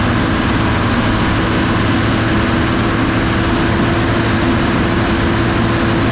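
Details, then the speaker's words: Kobelco SK250 excavator, believed 2006, diesel, after exhaust manifold replacement; steady even drone at raised revs with faint turbo whistle, heard in the cab, now making boost, revs more responsively; smoke is cosmoline burning off; normal high-idle run. "but it sounds great you can actually hear the turbo whistling now in the cab so it's actually making boost and seems like the engine revs up more responsively"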